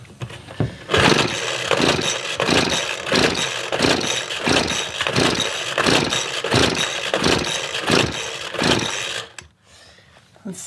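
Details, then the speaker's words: Craftsman leaf blower, stopped running after owner reportedly used wrong fuel, air filter missing: repeated pull-start strokes, never fires; spark and fuel confirmed, compression suspected, being tested. "alright guys so I know I have spark and I know I have fuel inside the tank the only other thing that it could be is compression"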